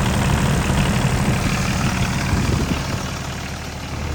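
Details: 2001 Caterpillar 302.5 mini excavator, Perkins 3013 diesel, after replacing the leaking oil pressure sending switch: a steady low idle clatter, even firing pulses around three per second, no knocks or misses. Normal idle.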